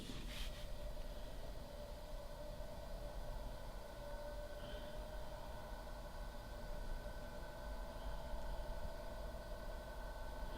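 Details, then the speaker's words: Dr. Z Z-Lux tube amplifier at 40 watts with volume and master at noon, tubes warming up: a brief click at switch-on, then a soft even hum with a faint steady tone. Normal cooling fan noise. "Okay, and I've got a fairly sophisticated microphone on this recorder right now, so it should be giving you a very true representation of the fan noise."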